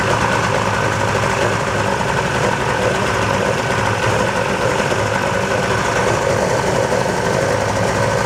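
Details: 1996 Sea-Doo XP (110hp two-stroke) that sat 20 years, after a carburetor diaphragm and gasket rebuild: steady, even two-stroke buzz with no misses or stumbles, running smoothly.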